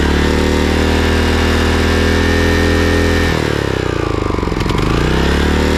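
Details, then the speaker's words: Craftsman/John Deere riding mower engine that had been surging and misfiring, after replacing the completely clogged carburetor: an even steady note that drops and recovers smoothly without hunting. Normal running; the carburetor was the cause. "so okay well it looks like it was the carburetor all along"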